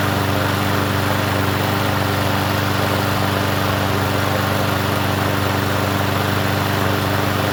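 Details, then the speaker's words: Free Troy-Bilt push mower with a rusted-out deck: the small engine runs steadily but slightly uneven and hunting. Rough running is suspected to be a carburetor issue. "Well, let's see if it does anything now. It almost sounds like a carb issue."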